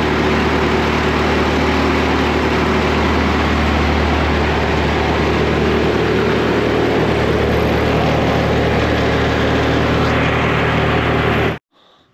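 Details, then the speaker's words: Woodmizer LT70 sawmill, Caterpillar-badged Perkins 2.2 four-cylinder diesel, sat for years, first start after bleeding old fuel. Steady low idle, even beat, no misses or knocks, firing on all four; normal idle. "all right she's running good"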